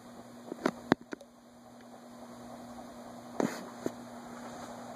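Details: Envirofan Gold Line 36" industrial ceiling fan, model 136F reversible, 2012, running at medium-high on a custom four-speed control: quiet, even hum at one steady pitch with stray handling clicks; runs smoothly, healthy.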